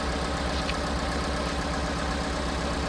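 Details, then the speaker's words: Piaggio Porter / Daihatsu Hijet 4-cylinder at idle after igniter module replacement: uneven stumbling idle about four beats a second, check engine light still on; misfire persists, owner suspects wiring problems. "No. It still runs rough. The check engine light is still on. The problem is still there."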